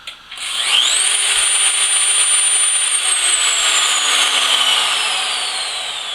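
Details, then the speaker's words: Variable-speed CNC router spindle with soft start and soft-stop brake, around 300-400 rpm: ramps up to a clean steady whine then eases down smoothly, no rattle or grinding; runs normally. "it's a variable speed it has a soft start and a soft stop brake so that when it's running it's very quiet and it really does have a good speed control"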